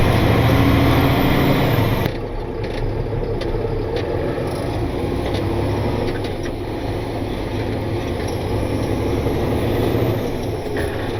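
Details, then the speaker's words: Truck on a test run after a shop repair, loaded, pulling away through the gears: low, even diesel rumble with no ticking or knocking, not getting hot, running smooth; normal under load. "seems to be doing just fine it's not getting hot it's running smooth so hopefully that means it is ready to go back to work"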